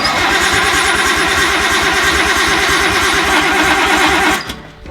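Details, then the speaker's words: R32 Nissan Skyline not started in over 5 years, first start attempt: steady fast cranking chug, about three beats a second, never catches despite spark; fuel problem suspected, possibly fuel filter lines fitted the wrong way round. "it's not even trying to kick"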